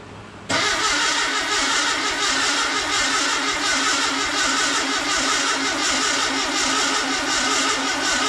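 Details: New VW Beetle 1679cc single-port engine, Scat C25 cam, dual Empi ITC carbs, first fire-up for cam break-in: catches at once, busy even rasp at fast idle, no knocks or misses; oil pressure and charging good, timing spot on.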